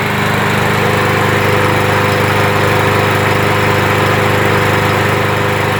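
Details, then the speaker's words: Briggs & Stratton 625 EX mower engine with plastic carb, auto choke, cold start after ultrasonic carburetor cleaning: runs at steady even pace, no surging, starts on one pull; normal steady idle after repair. "so yeah so it's running good uh it's not surging anymore well and it's starting up one pull"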